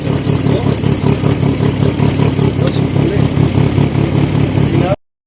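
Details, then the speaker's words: Fiat Stilo engine, first start after engine replacement and redoing the timing belt: even, steady idle with a regular low pulse about two and a half beats a second, no misses; timing was the fault, now runs properly. "it on guys it's a runner wo I told you guys the sun is shining and it started to shine for me also it runs perfect finally it was the timing and it was not something like the engine or whatever uh the engine is fine first start and it starts"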